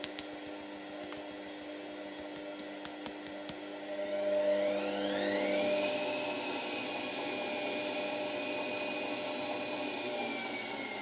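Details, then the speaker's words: Washer, now working: motor whirs up in pitch over a couple of seconds, then settles into a smooth even hum; normal drum run. "Yes, come on. This is working. Oh, we've got a nice working machine again."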